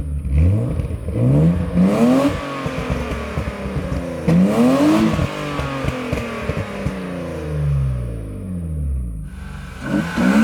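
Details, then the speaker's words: BMW 320i E36 with M50B20 inline-six, stock apart from a new intake filter, ex-automatic now manual, revved after restoration: smooth rises and falls, clean rising note, no rattles or misfires; healthy six revving freely. "c'est le moment pour un dernier petit aménagement avec un filtre qui devrait aider l'admission à se faire entendre un peu plus clairement."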